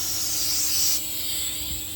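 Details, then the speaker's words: 600HP turbo Honda Civic with low oil pressure, long-sitting: air blown through the removed turbo oil feed line during a flush gives a strong, steady hiss rushing freely with no choking or sputter; oil feed line clear. "It's pushing out? Yeah, oh yeah. It sounds like it's flowing pretty freely."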